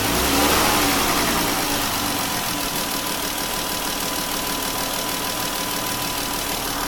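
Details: Engine revs up then as revs fall away settles into a fairly even knock, roughly four a second; internal knock when revving down, cause unknown.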